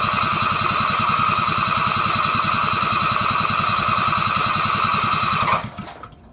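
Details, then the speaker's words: Riding mower engine unused for over 10 years, after fitting a new starter, pulley not connected: single-cylinder chugs at fast idle for about five seconds then cuts out; it starts but will not keep running on its own. "so as you guys just saw I just can't get it to run on its own fuel or by itself so or actually longer than like four seconds"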